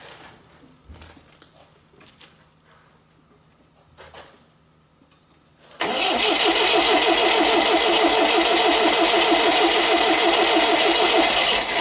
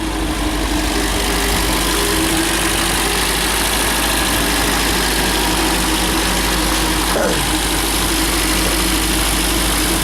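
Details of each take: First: MGB GT first start attempt after head gasket replacement, valves ground, electronic ignition fitted: starter turns engine at a steady three-per-second beat for six seconds without catching; cranks but won't start, cause unconfirmed. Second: MGB GT after head gasket replacement, head repaint and electronic ignition fitted, warm after a 15-minute drive: steady, even idle held a bit fast with no misses or knocks, temperature holding; normal, slightly fast idle.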